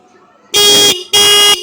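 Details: Bike/car horn after adjuster screw set and lower lock screw tightened: two clean, strong half-second honks with steady bright pitch; properly adjusted, healthy.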